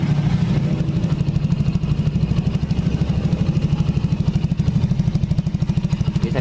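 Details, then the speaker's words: Yamaha Jupiter Z motorcycle after engine reinstallation in the frame, noisy exhaust with the tailpipe covered; smooth, steady, even putter about three beats a second, no tapping or clatter, engine very quiet, normal idle. "Oh ini ditutup suaranya lembut tidak terdengar nih untuk yang punya motor suara mesinnya sudah senyap seperti tidak menyala tuh"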